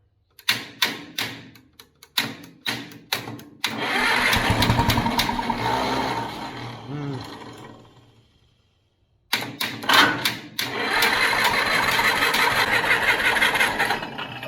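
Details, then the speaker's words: Pony motor on a 70-year-old 1950s barn-find D6 dozer fires, runs a few seconds, then sags and fades to silence; owner guesses a stuck carburetor float left the bowl out of gas, causing fuel starvation stalling. "I had to guess, our float stuck in our carburetor. Yeah. The burned what gas was out in the bowl."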